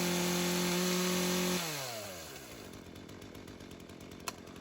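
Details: Craftsman chainsaw that sat for years, rerun days later after cool-down: steady, even two-stroke idle without hunting, then shut off and winds down smoothly. Carb acting more natural; tip test shows no head gasket or crank seal leak; chain doesn't move at idle.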